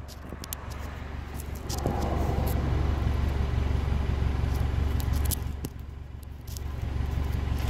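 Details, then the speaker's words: 1998 Honda Accord idling with a delete, deep, steady, quiet rumble that rises slightly then settles, no misses or knocks; a healthy idle. "it sounds good with a delete see you guys can hear it's real quiet idling here"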